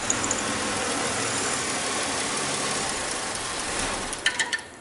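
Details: 2005 Chevy Impala after missing injector pulse and harness connection problem found: quiet, steady idle with even hum and no misfire, then a few light clicks; engine now starts and runs smoothly.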